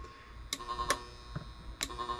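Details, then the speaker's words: PEMF 2B prototype pulse circuit: 70VAC 280W transformer, 30,000uF capacitor bank charged to 100VDC, 2-ohm coil at about 0.38 T. Sharp ticks and buzzy bursts in uneven pairs with hum between as load hits the transformer; burst circuit cuts out near 300 W. "if you listen, you'll hear how load being applied on the transformer and the noise it produces."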